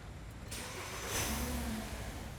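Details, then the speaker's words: 2013 VW Passat with an intermittent crank-no-start: the starter cranks and the engine catches for about a second, then dies. This is an immobilizer lockout from a faulty gateway module flooding the isolated powertrain bus with repetitive messages; power and grounds at the module are confirmed good. "we're blocked out so yeah it's official the module is no good"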